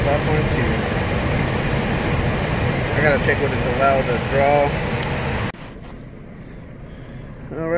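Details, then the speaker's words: Downflow furnace blower in an office building at 85°F, after the blower motor issue was fixed and reassembled; refrigerant flowing, supply air 69°: a smooth steady airy rush with no rattle, squeal or hum before it shuts off. Healthy blower. "go ahead and test it out again refrigerant is flowing and blowers on"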